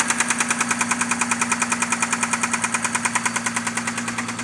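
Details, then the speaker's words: 6A13 engine at night, started with difficulty; sharp metallic knock two or three times a second over a steady idle, present from startup, loudest between the heads; oil pressure lamp off, no misfire or vibration; cause unknown. "Стучала сразу. Очень сильно. Вот такой противный стук. Больше всего стучит между головками."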